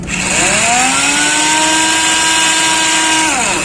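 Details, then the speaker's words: Hero Splendor Plus self-start problem: high starter whine rises fast, holds and winds down with no cranking beats, starter motor spinning but flywheel apparently not turning; not the usual one-way clutch sound, cause not yet confirmed. "जब one way खराब होता है उसकी sound अलग होती है, लेकिन इसकी जो साउंड है आप देखिए इतनी थोड़ी अलग है।"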